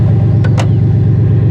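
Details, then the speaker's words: Cadillac limousine abandoned for about 10 years: deep, loud, raw idle rumble with a throbbing pulse and no muffling because the catalytic converter is missing, leaving the exhaust open. "that we're missing a catalytic converter that's that's wonderful that's that's that's just wonderful it's not good news"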